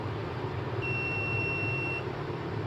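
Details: UPS kit with overload set to 700 W, 100 W bulb removed leaving three 200 W bulbs: single steady high-pitched buzzer beep of about a second over low mains hum, about 5 seconds before the unit switches back on.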